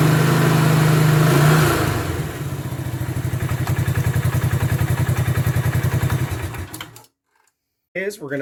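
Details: Bombardier Quest 650 ATV idling with the side cover off after a new Gates G-Force C-12 CVT belt replacement. Even low thumping at about three to four beats a second with no belt slip, squeal or chirp; normal running.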